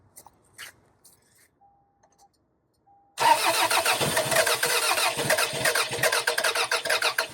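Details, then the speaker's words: 2002 Toyota Camry, sat over 5 years, coil pack wiring harness found cut, cranking with starting fluid: even chug about three times a second, never catches; crank sensor signal present, no spark from cut coil wiring. "It only smells like it's dumping fuel, but I mean I dump fuel. It should have ran."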